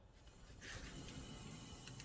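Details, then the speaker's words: Renault Vel Satis rear wheel, bearings integrated into poor-quality rear brake discs: rough, low scraping growl under the spinning wheel, unlike the quiet other side; rear wheel bearing growl, both rear discs to be replaced. "écouter un petit peu le bruit de roulement entendez le bruit de fond le bruit de fond qui raclent un peu"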